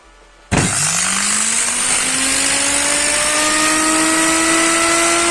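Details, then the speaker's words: Motor removed from a Candy GO F 107 washing machine that would not spin its drum, bench-run on 220 V with jumpers: whines up to a steady high speed with a harsh crackling hiss; heavy brush sparking suspected, brushes to be checked. "В общем искрит он многовато сейчас буду снимать смотреть щётки Потому что так запустился и ещё плюс искрить много"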